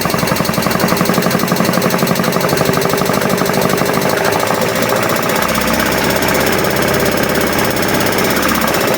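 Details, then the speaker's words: Alfa Romeo 33 first started after 23 years off the road: a fast, dense metallic clatter over a sagging, uneven idle; it backfired from swapped ignition leads, and the owner hopes the noise is the belt and is unsure whether the lifters are hydraulic. "this is not good this sound I hope it's just the belt"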